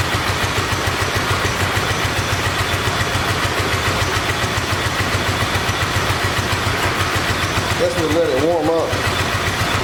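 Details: 1986 Honda VT500 Shadow V-twin, revived after years sitting: lumpy uneven idle with missing beat in firing rhythm; rear cylinder still not firing, owner suspects ignition coil or mice-eaten coil wire, checking spark.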